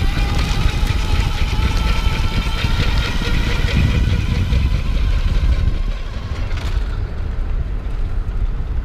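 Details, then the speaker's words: Sun Seeker Eco Tad SX electric trike, 48V, 500W internally geared hub motor, near 20 mph: faint steady high motor whine over wind rumble, slightly louder, likely from higher amperage; normal. "And I can hear the motor whining a little bit more. I think it's just cuz it's operating at that higher amperage."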